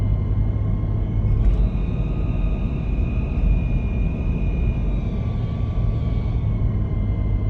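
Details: 1998 Toyota 4Runner while driving: a faint steady high whine rides above a deep drivetrain rumble, pointing to a whining transmission. A slipping clutch is possibly involved; the cause is not confirmed.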